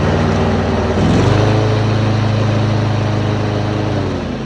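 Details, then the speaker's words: Craftsman T3000 LT riding mower (917.203900) after deck belt replacement (532429636), PTO engaged and blades running. Steady engine drone under deck load, no squeal, smoke or vibration. Normal running. "Blades work, no screeching, no smoke, no vibration, everything sounds really good."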